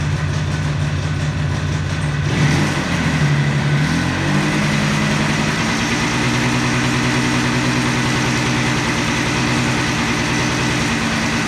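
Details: 1976 Yamaha RD400 two-stroke, started after 5 years in storage: it catches after a couple of seconds, settles into a crisp, even ring-ding idle and revs freely. Sounds healthy.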